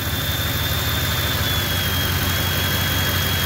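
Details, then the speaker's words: F-150 that squealed on startup, after idler pulley replacement restoring belt tension: steady even idle, smooth low rumble, no belt squeal or chirp; belt drive healthy, squeal attributed to slack belt. "here the alternator work in there charge that battery I think it was just plain squealing because it had no tension on the Belt"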